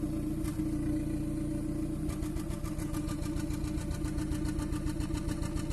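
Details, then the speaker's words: 2014 Kia Cerato after overheating, idling with no misfire codes, injector 1 disabled via actuation test at exhaust: uneven stumbling beat unchanged with injector one cut, so cylinder 1 is misfiring. "نفس الصوت مستمر. نوقفوا تمام، الصوت قاعد يجي. هذا دليل على شنو؟ ان المسفاير كان في السلندر الاول"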